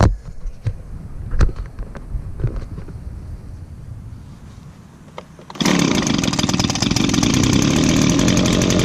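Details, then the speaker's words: Echo handheld leaf blower, almost nine years old and used recently, started on choke with primes: a few clicks, then it fires at once and settles into a steady, even high-pitched two-stroke buzz; normal start and run. "and just as I predicted started right up just because it was just used recently definitely a good blower"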